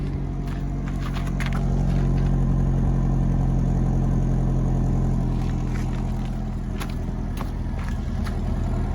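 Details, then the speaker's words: 2011 Toyota Camry 2.5L four-cylinder, about 367,740 miles, owned since new, cold start at roughly 25°F: steady, even low idle with a light tick on top, no knocks or misses; normal healthy cold start idle. "We can do a cold start. It's probably about 25 degrees out."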